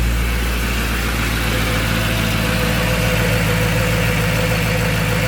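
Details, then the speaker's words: M113K supercharged V8 swapped CLK55 AMG, test fire after cleaning nasty supercharger oil, raining outside: deep steady idle, even low rumble with faint whine on top, no knocks or misses; supercharger noise can't be judged here; sounds good, normal idle. "all right don't think we're going to be able to tell anything about our supercharger noise here"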